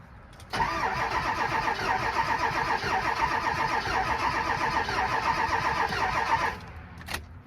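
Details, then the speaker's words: 7.3 Powerstroke diesel truck, cold start in snow, later found to have a melted piston: cranks and catches, then runs with an uneven, lumpy beat and irregular skip; engine miss. "you guys hear that skip and compression"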